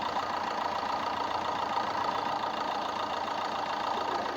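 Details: Freshly rebuilt Fiat 1.3 litre engine idling with oil cap open to check blow-by; steady even soft patter, no knock or miss, and no blow-by smoke, healthy.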